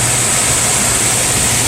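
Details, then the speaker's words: HVAC air handler blower motor after replacing its capacitor (fan previously sometimes failed to start, condenser freezing): starts right away, steady even air rush and low smooth hum; normal blower run. "Alright, that sounded much better. You saw it kicked in right away."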